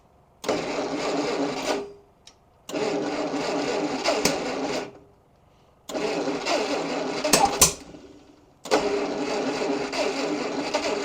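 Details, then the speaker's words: 1953 Kaiser Dragon cranked for its first start since the 1970s, timing set at top dead center, plug wires 2 and 3 swapped on the cap: long cranking bursts with sharp pops and bangs, no catch; compression to be checked; backfire during cranking. "oh man I don't understand why he's backfiring like that I said it seems like the timing is all right"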